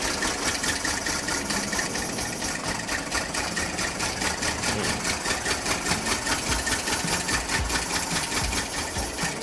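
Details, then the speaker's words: 1992 Honda Acty micro bus small engine just started after new distributor internals, coil and ignition module; ragged uneven loping idle, misfiring, suspected ignition timing and carburetor fuel bowl adjustment still needed: rough running. "She's running, but she ain't it was done."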